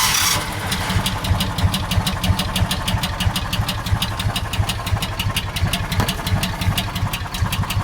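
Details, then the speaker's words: John Deere Gator 4x2, cold start on a 90° day: low, uneven putter that stumbles and barely stays running at 680–690 rpm; cold idle set too low, causing stalling. "can see on a cold start, it doesn't really want to stay running very well. Right now on cold, we're running uh 690, 680 on the RPMs."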